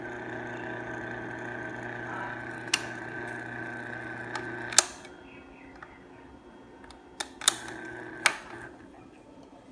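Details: Union 16-inch stand fan bought March 2019, still under warranty: steady low electrical buzz and faint rattle with sharp switch clicks.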